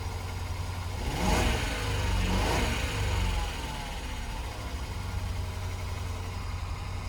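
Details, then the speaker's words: 2010 Land Rover LR4 V8, cold, still on its warm-up cycle at fast idle: slightly lumpy, uneven beat with a felt vibration; a cylinder 5 misfire was detected, possibly a coil pack. "So, a misfire, man, that could be a coil pack. That could be anything. Yeah, I mean, I can feel the misfire, a little vibration."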